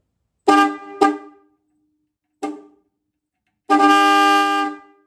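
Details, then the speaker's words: 1956 DeSoto Firedome horn powered directly from the battery with a jumper wire after the horn button did nothing: two short toots, a blip, then a long clear steady blast; horn works, the wiring is at fault. "So, this horn works. So, that's a quick and easy way to find out if your horn works and if your wiring to the horn is what is the problem."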